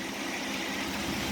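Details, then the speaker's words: 1985 Chevy S10 2.8 V6 after fan clutch replacement, hot day around 90 degrees: smooth, steady idle with an even low pulse under a constant rush of fan air; normal idle, repair done. "So, alright, so let's go ahead and fire it up real quick and make sure she works. Alright guys, I call that fixed."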